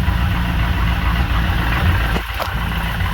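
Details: V8 idling with the torque converter disconnected from the flex plate: deep, even idle with only slight flex plate chatter; the earlier noise is gone, confirming it came from the transmission.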